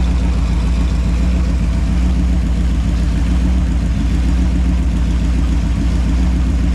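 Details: Holden 253 V8 on a bench test after a freshen-up: new bearings, honed bores, new rings, Yella Terra heads, new timing chain. Even, steady idle burble with a regular low beat and no knocks or ticks. Normal, healthy engine.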